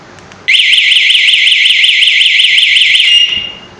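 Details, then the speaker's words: Motorcycle alarm system locator button pressed on the remote; loud warbling high siren sweeping up and down for about three seconds then stopping, confirming the bike is safe and the alarm works normally. "तो आपने देखा यह आवाज कर रही है तो हमें पता लग गया था कि हमारी बाइक जो है वो सेफ खड़ी हुई है।"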